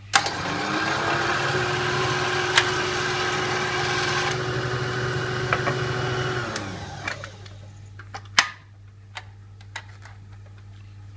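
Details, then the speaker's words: Kenwood Chef A701/A mixer on speed 1 with its centrifugal speed controller: an even, mid-pitched motor hum under gearbox load. The note stays unchanged when the cover is removed, showing normal speed regulation. "I put this on to number one and then when I remove the cover if you listen carefully the note from the motor won't change like that"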